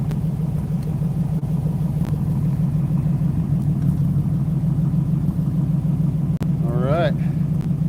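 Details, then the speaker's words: 1960 Ford Starliner with a 292 Y-block V8, heard at the rear once the idle smoothed out after starting. Deep, even idle rumble with a steady beat and no misses or knocks. Normal, healthy idle. "For just having a smalish engine, 292 Y block, it sounds good. That truck sounds a lot better. But they both sound great."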